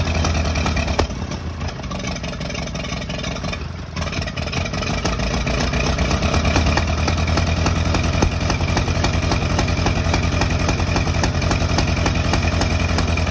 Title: Misfire?